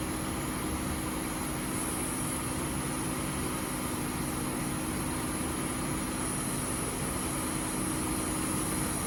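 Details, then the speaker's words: 1998 Oldsmobile Aurora V8, revived after sitting since 2016, cooling fans now working: a steady, even idle with a soft unbroken hum and no knocks or misses, smooth like a sewing machine. Normal idle. "Nice. Like a sewing machine."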